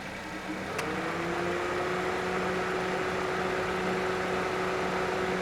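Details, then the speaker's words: 2004 Toyota Matrix at idle after refrigerant top-off, about 180 psi high side and 26–27 psi low side, cold weather: click then steady whine as A/C compressor clutch engages, cycling frequently because cabin cools quickly. "Now the compressor is off. You you might be wondering why it's cycling on and off too frequently. Is because the weather is bit cold and it has quickly attained the desired cabin temperature."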